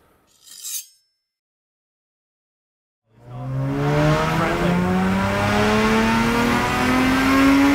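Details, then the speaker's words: Supercharged Toyota IS200 on a dyno with a bigger supercharger pulley, E85 flex-fuel conversion and extractors. The belt had slipped earlier and tension was increased; now the engine pulls hard and rises smoothly with no squeal. No belt slip under load. "happily bell didn't slip holy dooley my friends well the belt didn't slip not enough to accelerate the rollers"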